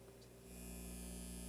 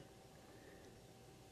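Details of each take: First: Newly built Elliott Sound Products phono preamp with turntable at 33 rpm: steady low mains hum and buzz; turntable ground lead had popped out and power was initially off. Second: Elliott Sound Products phono preamp kit build, bench test with inputs shorted to ground: only a faint steady hiss, no hum or crackle; low background noise for a high-gain amplifier.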